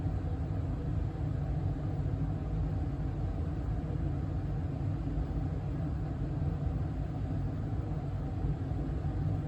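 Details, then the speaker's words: 2023 York HVAC system indoor furnace blower running in fan-only mode (not cooling), after evaporator coil replacement fixed earlier freeze-up; smooth, even low rumble of moving air, no ticks, rattles or whine. Normal blower running. "uh here in a minute I'll start it back up in cooling mode so you all can hear what the blower sounds like running on high for cooling mode"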